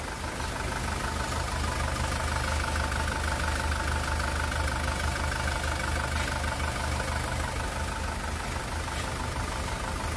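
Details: 2018 SsangYong Rexton Sports 2.2 diesel, 119,174 km, after engine rebuild (broken crankshaft cap bolt had holed block, melted No.1 piston; crank, pistons, bearings replaced): smooth steady idle, even low beat, no knocking or vibration, former tank-rolling noise gone; normal idle.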